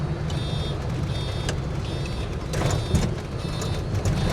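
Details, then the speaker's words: Land Rover Series 3 Lightweight with an added buzzer reminding that the indicators are on, since the relay click can't be heard; a high buzz pulses about once a second over a low engine rumble; indicator reminder buzzer. "to remind me that the indicators are on, because you can't hear the click of the relay."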